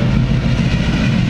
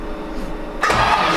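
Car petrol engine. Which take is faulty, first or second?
second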